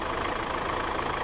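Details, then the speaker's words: 2014 Chevrolet Captiva diesel with low power, long cranking and white smoke: uneven stumbling clatter at idle, misfiring; excessive injector back leak suspected, highest on injector number one. "2014 R captiva engine low power tlong cranking din si Tingan natin yung back niya k sa Ner yung mas malakas long cranking din white smoke"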